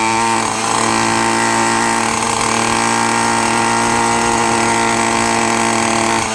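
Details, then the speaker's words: Minarelli two-stroke on a motorized bicycle with a new reed and intake, held at high revs: loud, steady and buzzy, but fat above half throttle; the carb needs leaning out. "Like a little past half throttle, then it's just really fat."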